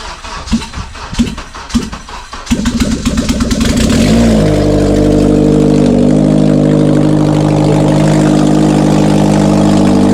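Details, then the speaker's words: Acura TSX first start after an accident: a few cranks, then it catches into a loud, raspy, steady idle with stock headers open and no exhaust fitted. "Wow, it's so loud cuz of no exhaust."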